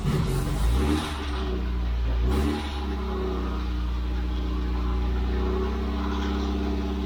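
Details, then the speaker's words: 1969 MGB running for the first time since 2001: steady low engine note settling after a brief rev, with a rough whirring from the front, caused by the water pump pulley spinning with the cooling fan removed; harmless, fan to be refitted. "I worked out what the horrible noise was at the front and that was just me being silly cuz I took the calling fan off which is down there U and of course then the uh the pulley for the water pump is rotating so that doesn't matter"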